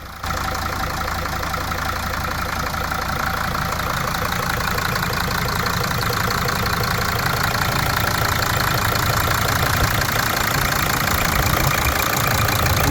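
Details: Mercedes 2.7 OM612 diesel (~150,000 km with intake-side knock after head replacement), after repairing a stripped injector thread and refitting the injector: even idle with light injector clatter, steady rhythm, no odd knock.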